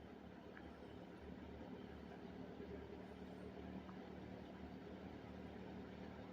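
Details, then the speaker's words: 1974 Kmart K-223 20-inch box fan, McMillan motor, unrestored, apparently well oiled, fitted with a four-wing Lasko blade, on low speed: quiet, even low hum, soft steady whir, no rattles or scraping; normal running. "appears to have been kept very well oiled throughout its life because it runs about as perfect as it's ever going to"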